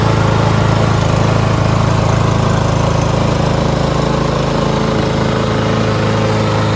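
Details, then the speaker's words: Lawn-Boy push mower, Briggs 550 140cc, black plastic carburetor, after governor spring bar bent forward to stop surging; constant even buzz at about 3,500 rpm, no hunting, normal running. "And so I just bent it a little bit forward and the surging stopped."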